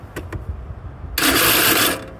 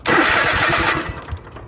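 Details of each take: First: Craftsman YTH4500 riding mower, shroud off: two harsh, rasping one-second grinds as the starter spins; starter gears going bad and the gear staying engaged to the flywheel instead of retracting; the starter was then replaced. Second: Craftsman YTH4500 riding mower after starter replacement: short, clean crank catching within a second into a quick firing burst, no grinding or clicking; sounds way better than the old starter.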